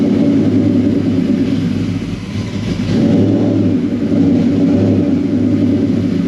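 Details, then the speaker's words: Whipple-supercharged 2003 Ford Mustang Cobra, started right after installing new NGK TR6 spark plugs to check the idle: loud, deep rumbling idle with an uneven lope and a slight dip midway; the idle still sounds rough. "All right, so we'll go ahead and crank it up. I'm gonna see if it idles any better. It's still gonna be god awfully loud and it's close to midnight."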